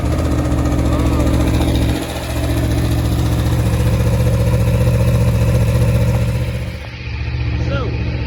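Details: 2019 Aprilia Tuono V4 1100 Factory, about 5,000 km, Akrapovic slip-on, cold start after winter storage in the Netherlands: fires up and holds a deep, even idle with small blips, smooth through the loud slip-on; normal cold idle.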